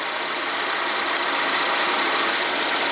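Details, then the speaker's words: Volvo after replacing the defective oil trap 32140004 (code P0171, rough idle, loud whistle): steady even engine idle at high idle warming the cats, soft hiss, vacuum-leak whistle gone. "Alright, we're at high idle to warm the cats. I hear it dropping. Alright. No more whistling Dixie."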